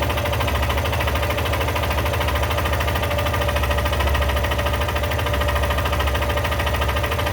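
Single-cylinder idling with a steady, loose mechanical clatter riding over the low thump; there's a noise, but the source isn't clear.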